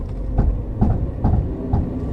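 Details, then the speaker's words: Car with Cusco RS 1.5-way plated LSD, 4.55 final drive, after about 1,000 km street driving, turning slowly: dull heavy clunks about twice a second, typical clutch-type LSD chatter. "But basically, interestingly, I don't know if you can hear it, but when I turn a corner, the diff is still pretty clunky even after I think 1,000 kilometers or so of street driving."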